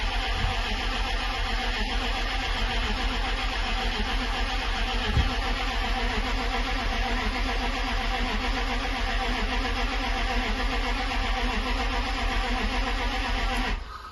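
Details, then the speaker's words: Jaguar XK8 V8 stood since late 2014 on original petrol, new oil and fuel pump, cranked about fourteen seconds in cold weather with fuel pump relay removed to build oil pressure: fast even starter churn, never catches; no pressure seen. "I don't know if cranking for 15 20 seconds will build enough but it should give enough to H back Works let's [Applause]"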